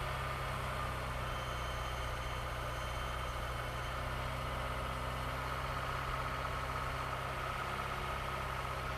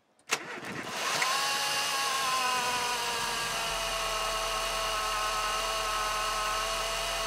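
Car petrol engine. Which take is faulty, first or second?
second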